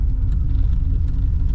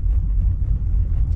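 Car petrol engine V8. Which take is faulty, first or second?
second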